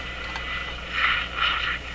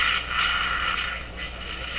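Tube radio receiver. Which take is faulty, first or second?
second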